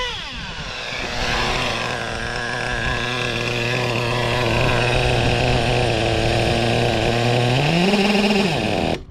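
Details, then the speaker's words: O.S. 21 TM nitro engine in a used Traxxas Revo, tank getting low: steady buzzy high idle, then pitch climbs and sags; low-speed needle seems lean, to be richened a couple hours, owner suspects engine wasn't warmed up earlier. "the low speed seems to be really leaning all up so I want to reaching up the low speed couple hours"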